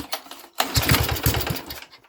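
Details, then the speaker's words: Mini tractor engine, first start in 13 years, choke on, after gearbox work and new A30 drive belt: silence, then about a second of quick even pops, roughly eight a second, before it dies; engine fires briefly. "Oh, did you hear that? Did you hear that? She fired. Oh, I think we're getting somewhere."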